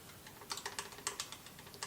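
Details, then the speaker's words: Honda B20A5 OHC engine for a 3rd-gen Prelude, out of the car and stopped, rocker rocked by hand before adjustment: light sharp metallic clicks from loose valve lash, beyond the intake 0.003–0.005 in and exhaust 0.006–0.008 in spec; excessive valve lash. "oh yeah you should be able to hear that uh it's a bit loose especially after looking up the spec in my book"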